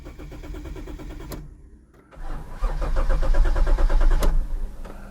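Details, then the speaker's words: Imported Toyota Soarer twin-turbo, 126,000 km, first start after storage with very low fuel and battery terminals just tightened: long steady cranking, a pause, more cranking, then it stumbles in running rough. Owner suspects a little oil put in. "we'll give it one more shot running a little rough right off the bat it could be that little bit of oil that's in there let's try it again"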